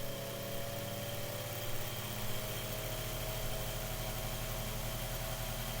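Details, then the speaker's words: Mainstays 9-inch high velocity fan on high after oiling and blade balancing, during an airflow test; steady airy rush with a low even hum and a faint tone easing upward as the blades reach speed; smooth, distinct running sound. "so that's on high speed actually guys i want you guys to hear that again just that distinct sound that that it makes when it runs"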